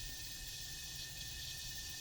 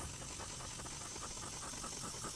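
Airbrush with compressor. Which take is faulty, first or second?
second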